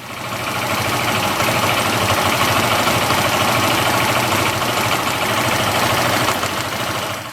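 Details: Small engine with a NIBBI carburetor after idle speed (target 1400-1700 rpm) and air/fuel mixture screw tuning for highest stable idle. It settles into an even, steady idle with no hunting or surging; normal idle.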